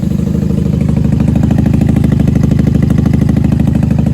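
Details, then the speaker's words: 1994 Honda Magna 750 VF750C V4, airbox off, warming on choke, factory pipes with baffles removed, dry with no fuel dripping: fast even pulsing idle, no misses or knocks; normal idle. "Everything looks dry in here. Not dripping fuel anywhere. This sounds good. Factory pipes with no baffles."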